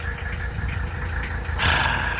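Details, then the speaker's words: 1983 Mercedes-Benz 300TD (W123/S123) estate, OM617 diesel, idling after a valve adjustment with no improvement and still smoking (less once warm): uneven idle with a sharp clacking over the low rumble; owner suspects a faulty injector, injectors needing rebuild. "you hear that clacking I believe that's an injector in need of replacement so I think the injectors need to be rebuilt"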